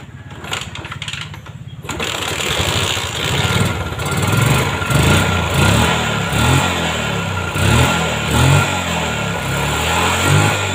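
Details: Yamaha Jupiter MX that had lost coil spark despite new regulator and coil, after tracing the fault: starter churn, then the single catches and runs with a steady beat and light throttle blips; ignition now firing normally.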